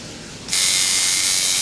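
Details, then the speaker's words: Tattoo liner coil machine tuned to a dime-sized gap by the nickel-dime method: a bright, high, steady buzz that starts cleanly and holds even with no stutter, running normally and well tuned. "Soon as you, you know, fire it up, you can tell whether it's tuned well or if you need to mess with it."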